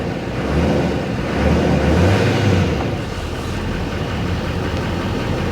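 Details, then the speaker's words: GMC Sierra 2500HD, 6.6 Duramax diesel, a flood vehicle at a Copart auction, just fired up: even diesel clatter at idle, a low rumble swelling slightly then settling. Sounds good; normal idle. "fired right up she sounds good man this truck is very clean"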